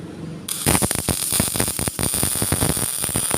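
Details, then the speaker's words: GMAW MIG/MAG welder set to 17.8 V with 4.2 m/min wire speed: harsh crackling arc with irregular popping and sputtering; too much wire, so the wire speed is lowered to 4.0. "Oke, di sini terlihat hasil pengelasan itu masih terlalu banyak penggunaan wire-nya, sehingga kita boleh kecilkan."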